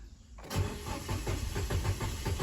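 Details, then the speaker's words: Nissan Almera that won't start, engine light not showing: starter cranks the engine at a brisk, even chug of about seven beats a second but it never fires; a failed relay is the cause. "อ่าอาการรถก็คือรสจัดการไม่ติดนะครับไฟไม่โชว์ครับEngineไม่ขึ้นนะครับ"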